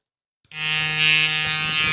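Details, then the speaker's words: Gobo magnetic head trimmer with a thin cutter blade, new from the box: a steady high buzz with a harsh edge and a brief rattle; it makes a strange noise that the matching clipper does not. Abnormal buzzing. "it's making a strange noise that's the only thing I don't like about this head trimmer but the Clipper doesn't make a strange noise"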